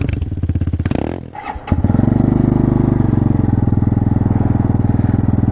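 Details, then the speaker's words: Hyosung Hawk DLX 250cc on stock exhaust with second crack in front pipe and muffler internals coming apart: cold start into loud, raspy, uneven open-pipe idle, idling a little high; cracked exhaust pipe and failing muffler. "the inside of the muffler is actually coming apart. It's just time to move on for it, folks. It doesn't sound good, like an open fart can, basically."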